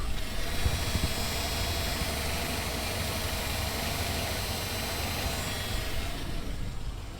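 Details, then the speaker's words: Volvo 245 (240 wagon) daily driver that cut out while coasting: the engine ticks over with a faint thin high whine over the rumble from the dying under-car fuel pump, which is about to be replaced. "that's what a dying fuel pump sounds like"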